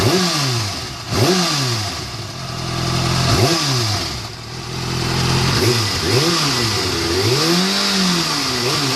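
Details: Kawasaki ZX-6R inline-four, fully warmed up, blipped from idle: light fast tick over the engine that keeps pace with revs; top-end ticking noise, cause not yet found.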